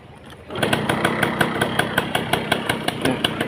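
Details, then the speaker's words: 1990s Yamaha Belle (likely SL), probably 100cc with a hand clutch, some parts missing with age but the engine judged good: a steady, even tick-over with light, regular valve taps, sounding healthy. "คันนี้เครื่องถือว่าดีอยู่นะครับชิ้นส่วนหายไปบ้างตามกาลเวลาแต่โดยรวมแล้วก็ถือว่าโอเคนะครับ"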